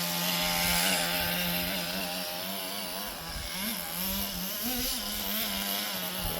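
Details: Roughly 20-year-old restored HPI Nitro Rush Evo nitro RC buggy with new glow plug and fresh fuel, warmed up and tuned, running in the garden: high buzzy steady scream wavering as it moves, clean revs, pulling well, working as it should.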